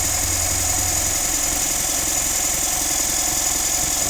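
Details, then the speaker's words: Mitsubishi Montero diesel towed in for an engine noise, idling with the accessory belt removed to test the tensioner. Loud hissy top end with uneven tapping persists, so the timing belt is next to check; MAF sensor was ultimately the problem. "O ayan, maingay pa rin po mga kapatid. Narinig nyo naman."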